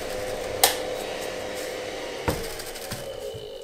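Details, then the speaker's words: Creality CR-10 Mini 3D printer control box fan with faulty bearing: steady whir with rough buzzing midrange tone and a few knocks; shaking the box makes the noise disappear; fans to be replaced with quieter ones. "and lately when I have powered up my 3d printer I also hear that one of the fans inside the control box has a faulty bearing as I'm sure you can hear on this video clip"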